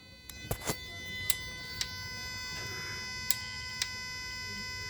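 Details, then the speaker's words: Jaguar AJ30 V6 VVT solenoid driven by an Arduino controller at simulated RPM, unplugged and tested alone: sharp, solid clicks over a steady high electrical tone; works normally, sounds identical to the other valve. "And as you can hear, which you can't see anything, can hear it's clicking away nicely. And just note the noise. Pretty solid click."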